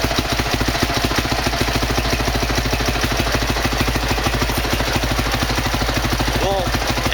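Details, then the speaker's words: 2003 Honda CRF450 single-cylinder four-stroke, first start after rebuild for seized rod and blown rod bearing, started cold without choke at about 25°C: loud, quick, regular thumps at steady idle with no misfires, normal. "Donc le starter à froid ne tenant pas, je l'ai démarré sans starter. On a bien vu qu'elle a démarré, j'ai tiré le starter après en pensant qu'elle allait caler, et finalement elle tient très bien."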